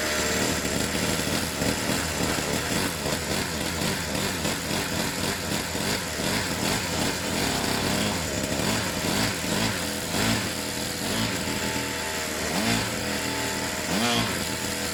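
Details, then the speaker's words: Pit bike after the slipping choke was stiffened, now running with the choke fully off: small single buzzes along steadily with no hunting or stumbling and even pitch; normal running. "so I stiffened it up a bit it sounds much better now with the choke completely off"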